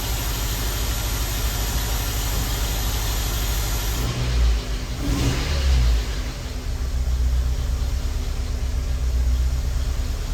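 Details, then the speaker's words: Honda Element with code P0301, shaking badly after a misfire came on while driving; rough, lumpy idle with uneven low thumps and a brief rev blip as one cylinder is dead. "That doesn't sound too bad actually. But no, it's dead. Like it's shaking like See that? Everything's just shaking."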